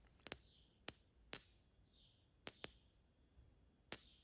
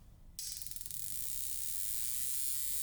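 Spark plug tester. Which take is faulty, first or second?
first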